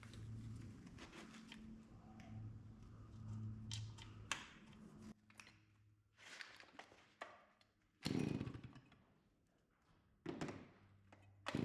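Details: Stihl 041AV anti-vibration chainsaw, 28 in bar, sat at least 5 years, cold start at about 37-38°F after stop switch cleaning. Fired right up, choke off, steady even idle, then cuts out cleanly with the repaired switch. Normal idle.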